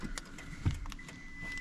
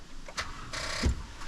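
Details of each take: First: 2011 Toyota Tundra 4.6L V8: sharp lock-actuator clunks and a clean alarm chirp after replacing the main fuse link blown by a battery installed backwards; the alarm hadn't worked before, and now locks and alarm respond normally. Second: 2011 Toyota Tundra 4.6L V8 after a battery was installed backwards and the main fuse link replaced: a few dry clicks and one dull thump, starter never spins the engine; no crank; cause unconfirmed.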